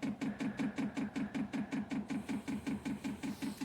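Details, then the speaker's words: 5 kW diesel heater on a workshop cart, first-use priming in freezing weather (about -3 °C): the dosing pump ticks steadily at about 2.5 pulses a second while drawing fuel up the pickup pipe. Normal fuel pump priming. "It'll say H on, so you can hear the pump going. And what we're looking for is we're looking for fuel coming up the pickup pipe."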